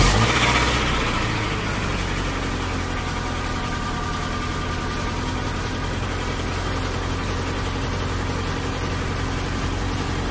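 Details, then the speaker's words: Suzuki Escudo petrol engine, cold morning start before rebuild, had once run out of coolant, scored cylinders, rings replaced without honing: fires and settles into a steady, slightly uneven idle while blowing white smoke from oil creeping up and burning. "Emang kalau seperti ini biasanya emang sudah identik dengan yang namanya Oli yang naik merembes kebakar jadi makanya ngasap"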